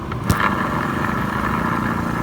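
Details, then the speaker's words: Automatic scooter (matic) CVT gearbox turned by hand: steady mid-pitched whirring hum with light clatter; the final-drive ratio gears are somewhat worn, but not badly. "Nah, ini bagian rasionya udah kena, cuma nggak terlalu parah. Cuma sedikit aja dia menimbulkan bunyi, nggak terlalu parah."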